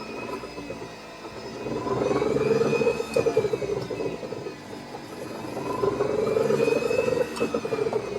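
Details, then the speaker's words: Golf cart after resistor-coil to solid-state controller conversion, bench test at 38 volts with pot box, forward selected: solenoid clicks, then motor spins up to a smooth steady whir; normal drive motor run. "Key switch on into forward. Can hear that selenoid clicking. There we go. Forward works."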